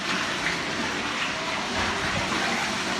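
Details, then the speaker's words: Commercial kitchen dishwasher switched off, drain pump kicks in to drain the water: steady rushing of pumped water, smooth and unbroken with no rattle or labouring; drain pump running normally. "Hear that drain pump kick in? Drain all that water out."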